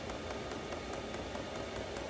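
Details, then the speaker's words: Chinese diesel heater (Webasto clone) with Afterburner controller, mocked up at the shop edge to burn off residue, meant to replace an RV bus's propane furnace: steady blower rush with crisp, even dosing-pump ticks about five a second; running normally. "you can kind of hear what this thing sounds like you know the pumps ticking there"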